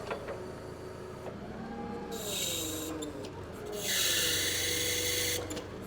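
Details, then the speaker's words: Older Hyster S50XM 5,000 lb propane (LP) forklift operating the hydraulic side shift: two surges of sharp steady hiss with faint wavering whine; attributed to pressure in the hydraulic lines, typical for an older lift. "Now that noise is because of the pressure in the lines. Obviously this is going to be a little bit older, but that's typically what happens."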